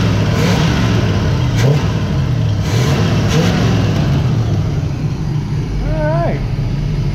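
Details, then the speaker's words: 1977 Pontiac Trans Am V8 revving after a carburetor rebuild, a new electric choke and plugged vacuum leaks: revs rise and fall cleanly with crisp throttle response and no stumble; the accelerator pump now works and the engine runs healthy. "that's a lot better it's got better throttle response the accelerator pump is actually working now"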